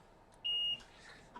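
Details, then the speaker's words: iPhone 6 with no backlight, probed with a multimeter on the board: a clear high-pitched continuity beep of about a third of a second shows a dead short on a backlight circuit part, which needs replacing in a full backlight rebuild. "Now you can hear that there. That is a dead short. So we found the culprit."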